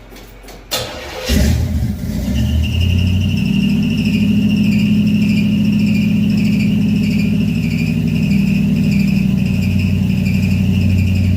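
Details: Carbureted Chevy V8 stored since 2010, first start in 15 years with new carb, fuel pump, plugs, wires, Hooker headers, custom H pipe and two Flowmaster mufflers; after a couple of cranks it catches into a loud, steady, lumpy idle with even exhaust beat; healthy.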